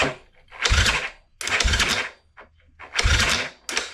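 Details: Yamaha Grizzly 660 ATV after a new wiring harness, new CDI, lithium battery and 4-gauge cables to fix hard cranking: a few short bursts of steady, even starter whirring with no clicking between tries; the starter now cranks the engine properly.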